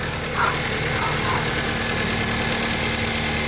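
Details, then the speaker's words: 2011 Jeep Compass 2.4L idling: quick, high chirps several times a second, bad belt squeal from a worn, wobbling idler pulley; idler and tensioner pulleys replaced. "today we're replacing the idler pulley and the tensioner pulley on this 2011 Jeep Compass customer states that it's squealing really badly from the belt"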